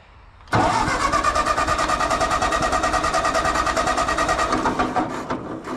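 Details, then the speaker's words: Old John Deere tractor, cold start after sitting since last fall, slight choke: slow labored chugging with a straining starter drawing heavy amps, then an uneven stumbling run. Hard starting; owner wonders about spark problems. "usually starts better than that"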